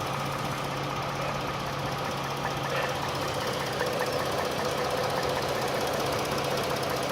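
Steady idle with a fast, uneven light tapping riding over the engine note, about two or three a second; an internal knock.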